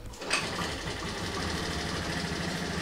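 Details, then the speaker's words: First-generation Honda Beat FI scooter, kick-started due to weak battery: loud, constant, fast ticking chatter over the idle; valve train suspected, valve adjustment to be checked, cause unconfirmed. "Nah, itu dia suaranya. Berisik. Cukup, cukup, cukup, cukup. Aku tak tahan mendengarkannya."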